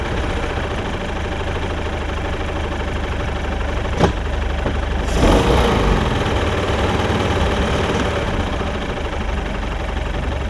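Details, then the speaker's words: Mercruiser 3.0 in a Stingray boat, sat 9 years, new fuel pump and carburetor, on muffs, after freeing a rusted throttle collar: steady, even idle around 800 rpm with a brief blip; normal idle. "it's idling at like 800 rpm so that's right on the money"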